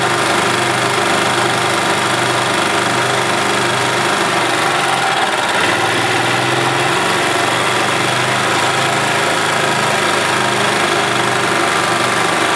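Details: 1991 Yamaha G8 gas golf cart engine after carburetor cleaned of junk and worn-out fuel pump replaced; even, steady idle with a light buzzy tone and no knocks or misses: running as it should.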